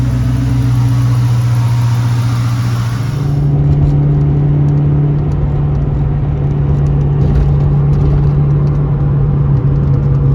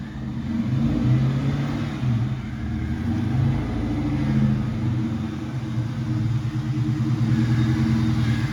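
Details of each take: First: 2001 Mustang GT Bullitt after its broken, wobbly starter was replaced: a smooth, steady engine note that settles after a brief hiss, with no knocking or grinding from the starter area. The earlier horrific noise is gone; healthy running. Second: 2001 Mustang GT Bullitt running with a horrific noise: deep, uneven rumble with rough churning undertone; the broken, loose starter drive is still dragging on the flywheel; starter drive not disengaging.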